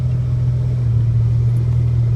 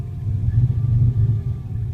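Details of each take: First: 1986 Ford Ranger, 1990 2.9 engine, 1988 computer, manual, cold: steady even low drone at raised fast idle with small speed swells, idling high until warm (tachometer wrong); normal cold idle before the warm-running bucking problem appears. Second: 1986 Ford Ranger 2.9 in cold weather: a deep low rumble surging and dipping about twice a second at idle, with the pumps whining and the lights pulsing. The lumpy, rough idle has no confirmed cause.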